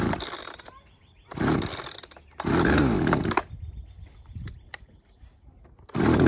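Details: Poulan 2150LX chainsaw after a no-start repair, carb high and low screws set 2 turns out: fires and revs in three or four strong bursts, dropping back to idle between. Runs normally.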